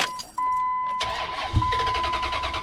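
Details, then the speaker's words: 2004 Dodge Ram 1500 5.7L Hemi, 170,010 miles, spat and sputtered then wouldn't start: fuel pump whines priming on key-on, then cranking and a brief catch that dies out; pump primes but can't supply enough fuel, crank no-start. "So it'll prime, but it won't pump enough fuel to keep it running."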